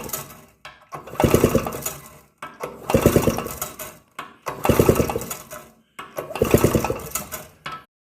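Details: 1962 Harley-Davidson Topper scooter: four cranking bursts of about a second each with gaps, never catching or running on; cranks but won't start.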